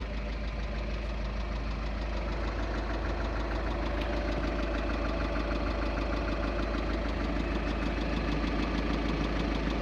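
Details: 2.0 TDI common-rail diesel at idle: steady idle with a dull, even, persistent knock about three times a second; connecting rod bearing knock.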